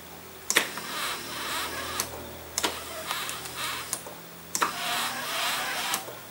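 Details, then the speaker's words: 1992 Mercedes-Benz R129 SL power seat, removed from car with heated-seat cable, run forward/back/up; electric seat motor moves in short strokes with dry scratchy squeak each movement; owner thinks it always squeaked, suggests silicone grease on seat tracks. "now i think it was always making a little bit of a squeaking sound"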